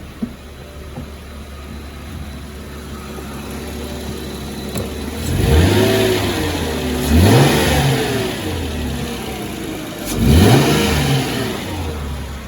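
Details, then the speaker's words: 2004 Chrysler Crossfire 3.2 V6, a quick rev check because the power steering pump is said to be troublesome: smooth idle, then three clean blips rising and falling evenly with no knocks, whine or misfire. Sounds good. "sounds good co they look nice"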